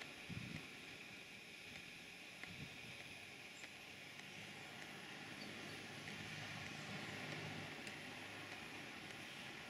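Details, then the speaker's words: Stuart Models beam engine on Castle Steam V6 gas-fired model boiler, rotative pump feeding water so pressure dropping: soft, fairly even chuffs about three a second over steady steam hiss; runs smoothly, normal. "I will stop talking now and let you hear the exhaust beat before the safety valves kicking again"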